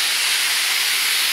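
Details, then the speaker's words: Shop compressed air system with compressor running: loud, steady high-pitched hiss with no rhythm, air escaping hard mostly at one line fitting; leaking lines to be replaced. "so you can hear all the leaks it's mostly coming from here so this one leaks a bit oh this one leaks a lot holy cow i can't even hear you over it"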